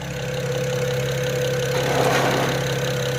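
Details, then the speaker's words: BMW E92 335i twin-turbo after engine install, idling with oil 147 and coolant 180: uneven stumbling beat about four pulses a second breaking rhythm; owner suspects a slight miss, scan shows no codes. "all right she's idling she's it sounds like she has a bit of a miss"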